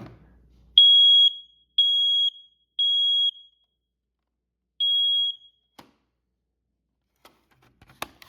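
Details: SA710CN smoke alarm test after battery inserted: three loud, shrill beeps in a row, a pause, then another; full alarm pattern, works properly.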